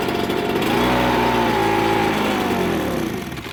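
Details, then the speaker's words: Ryobi BP42 two-stroke backpack blower with hard starting and inconsistent power: revs to a steady high buzz, then sags and fades as air is sucked in; intake air leak from loose isolator block bolts between block and cylinder, possibly missing gasket. "it's sucking air or it's missing a gasket or something something's going on that's what i suspect"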